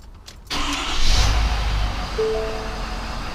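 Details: Ford 6.7 diesel F-350, an otherwise flawless truck, started cold after home maintenance ahead of an oil change. A brief crank, then it catches at once and settles into an even, steady idle clatter with no stumble; a normal start.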